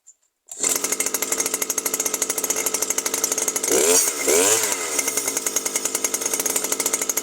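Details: New Stihl FS 120 brushcutter that stopped starting after break-in, running after a faulty spark plug was swapped for a working one: crisp, even high-pitched two-stroke buzz, brief throttle dip recovers cleanly; healthy running.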